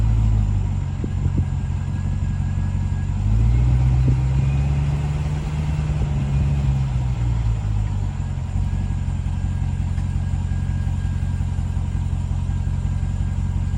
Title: RAM TRX Humming Noise